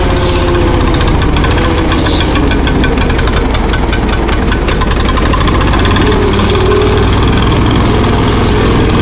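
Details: Allis-Chalmers 170 tractor, sat two years, carburetor rebuilt, new plugs and coil, 1986 Camaro exhaust fitted. Loud uneven idle with irregular stumble and lopsided beat; missing on cylinder 2 or 3. Owner suspects carburetor freezing up or fuel starvation.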